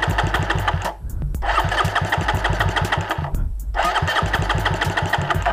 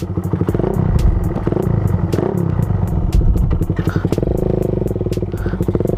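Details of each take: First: Raider 150 motorcycle climbing uphill: uneven popping bursts that fade out and restart every second or so, engine stalls and bogs as if flooding under load; owner suspects a spark plug problem, runs fine on level ground. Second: Suzuki Raider 150 single-cylinder motorcycle, after fitting new spark plug: even, quick popping at steady idle with no misses; normal idle.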